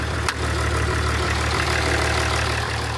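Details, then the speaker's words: Range Rover Sport diesel engine swapped into salvage shell, first start; steady idle with light uneven clatter from injectors not yet trim-coded. "Actually runs pretty good considering the injectors are trimmed. Probably hear them rattling a little bit. That's because of the trim codes."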